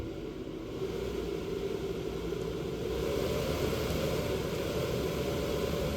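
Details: Fan on a homemade light-dimmer speed controller, knob turned up from low: constant airy rush with low motor hum, no rattles or scraping; fan running healthy at high speed.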